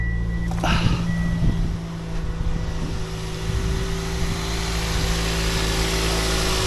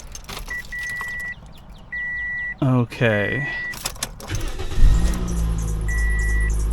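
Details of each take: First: 2007 Toyota Yaris after fixing a belt squeak by re-tensioning the alternator: engine starts and settles to a steady idle with a smooth, even hum and no squeak or chirp; belt runs quietly. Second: 2007 Toyota Yaris at engine start: high rapid chirping squeak over idle from the slipping serpentine accessory belt, to be replaced.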